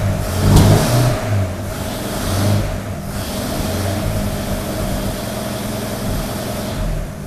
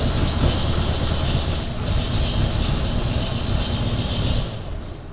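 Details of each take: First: 1932 Nash 990 Series after tune-up with new points, not yet warmed up: quick throttle blips settle to a fairly steady idle without popping or stumbling; running much better than before. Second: 1932 Nash 990 Series with dual-point distributor and 16 plugs, during tune-up with new points, started on the left bank only: uneven, lumpy low thumping that never settles; running rough, cause unclear, to be smoothed before fitting right bank.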